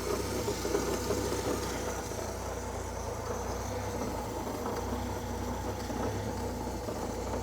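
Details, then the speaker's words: Old Austin tipper truck, revived after sitting 20 years and not run for 4 days, started with a bit of choke: super quiet, low, even idle with no misses or knocks and no smoke; blows a little on throttle, owner unsure whether fuel or oil. "Super quiet old truck, no smoke. If you're into the throttle, it blows a little bit."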